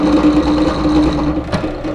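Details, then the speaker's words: Drill press countersinking wood while fitting motor mounts in an RC hydroplane boat: humming with a rapid buzzing rattle. The worn, dull countersink bit is chattering instead of cutting smoothly. "can you hear it it's actually chattering so that it's it's not doing a nice smooth cut"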